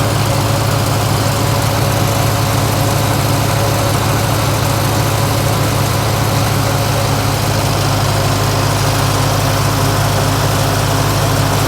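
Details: Lincoln SA-200 welder engine recently converted to electric ignition with a new carburetor: steady even low drone throughout with no misses or knocks; running normally.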